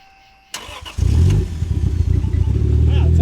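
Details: Toyota Supra MK4 A80 turbo, start: quick crank that catches cleanly and settles into a strong, even idle with no stumbles or odd noises; a healthy start.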